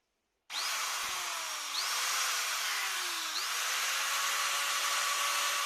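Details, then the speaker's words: Maktec MT971 4-inch 850 W angle grinder, being repaired for a shorted armature with a blown commutator, runs smoothly to a steady high whir with no rattle, scraping or grinding; electrics check out normal, running healthy. "โอเคครับไฟโอเคปกติดีทุกอย่างนะครับ"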